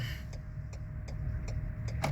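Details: Turn signal blinking fast in cold weather, with quick light ticks about every 0.35 s over a low idle rumble; one rear signal bulb is lit but not blinking, and the owner suspects a busted bulb (TPMS light also on).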